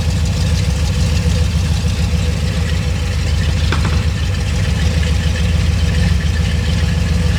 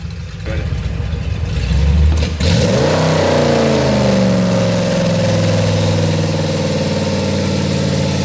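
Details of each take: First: Ford 351 Windsor V8 with a flat-tappet cam, on the dyno after a tuning adjustment: a deep, loud burble with an even low pulse and no stumbling or misfire. The tuner says it is idling cleaner, a normal idle. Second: Ford 351 Windsor V8 with a flat-tappet cam, EFI fitted, in a full-load dyno pull: it pulls hard, then stumbles and drops off near the top (peak 261 hp). A high-rpm miss; unsure whether it is the rev limiter or the engine.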